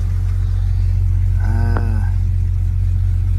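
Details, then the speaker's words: 1998 Jeep Cherokee 4.0 after replacing upstream and downstream O2 sensors; smooth, steady low idle with even rhythm, no misses, ticks or knocks, no check engine light, seeming to idle a bit easier: normal idle. "No check engine light for now, so should be good. Sounds like it's idling a little bit easier too."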